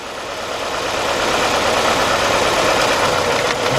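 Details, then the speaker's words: 1993 Nissan Altima GXE with rough running and a misfire, diagnosed by disconnecting each cylinder in turn: uneven, lumpy idle that stumbles every few firings; no change when cylinder two is pulled, so cylinder two is dead. Fuel injectors replaced. "so what that's telling me we got a bad problem right here with number two Silva"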